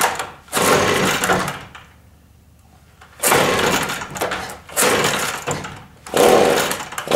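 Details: Gas leaf blower that wouldn't run, cold start with primer bulb and switch on: four rasping cord pulls, each fading to silence, with no catch or firing; turns over but won't start.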